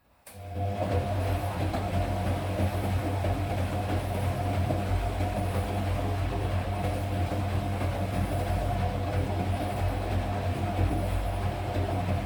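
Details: Front-loading automatic washing machine on fast spin: deep steady rumble with uneven thumping underneath as the drum shakes and knocks. Drum vibration and knocking during spin.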